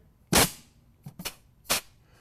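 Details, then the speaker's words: Rebuilt 722.9 automatic transmission on bench, compressed-air check of B1 clutch before valve body install; three sharp hisses each with firm thud, piston applies and holds so well air escapes as the nozzle is pulled away. Normal clutch apply. "what's happening here is i'm letting off and air checking and i can actually pull the nozzle away and it's holding so well that air is escaping as i'm pulling it away so that's a real nice air check on the b1 clutch"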